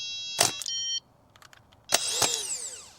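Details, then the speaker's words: New starter motor for 2002 Citroën C3 petrol, bench tested with jump leads, main feed to big terminal, earth to body: short sharp spin, then electric whine winding down smoothly; healthy starter, unlike the dead old one. "Look at that beauty. That's how you bench test it. So, main power to the big log on the back and then you can earth it on the body of the star wherever you want."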